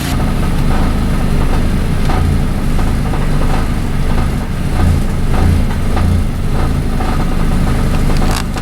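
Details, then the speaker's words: 1993 Ford Tempo idling, before repair: the idle rises and sags every second or two on the tachometer instead of holding steady; earlier fixes failed, and the idle air control valve is blamed and about to be replaced. "here's the background here behind me it's kind of surged up and down now as we speak"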